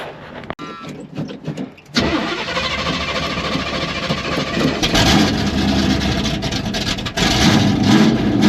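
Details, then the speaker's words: 1981 Oldsmobile Cutlass V8, sat nearly a decade, fed from a temporary fuel supply: cranks briefly with uneven catches, fires at about two seconds and settles into a steady, even run; sounds good, though a coolant leak is suspected. "It ran. It sounded good. But it's got some issues."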